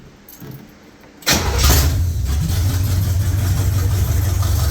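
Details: 1969 Chevy Nova after V8 swap: starter whirs briefly, then the V8 catches at once and settles into a deep, steady, even idle; healthy start.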